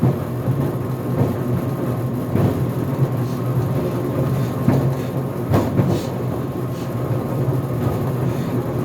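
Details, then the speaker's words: GE Profile Harmony dryer on the cooldown cycle near the end of an 11-minute sneakers cycle without extended tumble, door later pops open: low tumbling rumble with occasional dull bangs a second or two apart from the drum; cause unclear. "Making some banging noises, I'm not sure which one it is."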